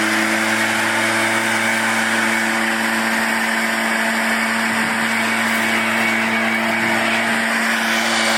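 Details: Echo PB-500T backpack blower after rebuild and carburetor tuning, previously wouldn't idle and fell off when throttled: steady, even high-pitched drone at constant speed with no surging, misses or rattles; running normally.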